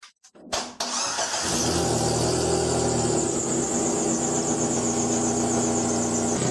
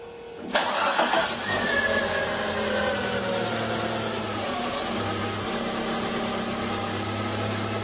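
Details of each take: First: Chery QQ engine starts and idles loudly with a raspy, puffing rattle from an exhaust leak between the exhaust manifold and resonator after hitting the underbody; a gap at the resonator joint needed welding. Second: Chery QQ after the exhaust resonator's broken joints were welded and refitted, checked for exhaust leaks: engine cranks, catches and settles into a steady, even idle with no rattles or leak puffing. Normal idle, repair successful.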